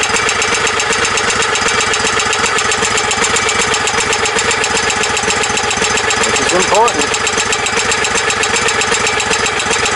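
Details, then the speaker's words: Kohler CV20 20hp OHV V-twin on a tow tractor with new carburetor, idling; sharp, regular fast tick over steady idle persists; owner suspects a valve issue, not confirmed; no exhaust leak felt. "I'm hoping the ticking went away, but I highly doubt it. Like I said, I think it's valve issue or something of that sort, but let's see anyway. Yeah, still there."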